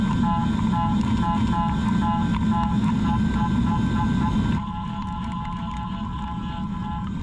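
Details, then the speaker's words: Heller HF5500 CNC machine milling: a steady cutting roar with a high, fast chirping. The end mill is only lightly engaged at the bottom of the flute after an earlier full-engagement pass, so low cutting pressure makes it chirp. "when you hear they're chirping that's because of the pressure because I ran the tool fully engaged earlier without cooling to show you guys"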